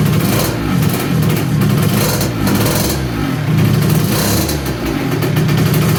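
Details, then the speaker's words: 2007 KTM 65SX two-stroke after a top-end rebuild with a Vertex piston, first heat cycle of about 10 minutes mostly at idle: small two-stroke buzzing crisply, revving up and down cleanly with no knock or misfire; healthy. "the ktm lives just finished heat cycle number one let it basically idle for 10 minutes see the radiator toasty"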